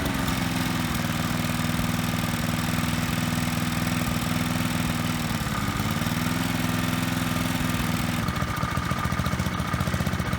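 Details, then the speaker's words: Lawnmower petrol engine after fixing surging (governor lever spring replaced with wire, cloth taped to flap): holds a steady, even speed, brief clatter at the end. "after that we taped a piece of cloth to this flap here to further smooth on its movement and narrow the engine actually runs pretty smoothly"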